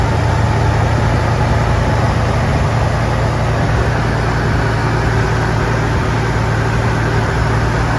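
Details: 1999 Toyota 4Runner (3rd gen), well kept and mechanically sound: loud, steady low idle hum with an even beat and no knocks, rattles or misses.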